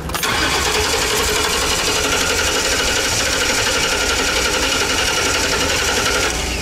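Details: 2012 Ford E350 Econoline van with new fuel pump, battery weak: starter spins at steady fast whir for about six seconds, engine never catches; cranks but no start, no fuel pressure on gauge, spark not yet verified.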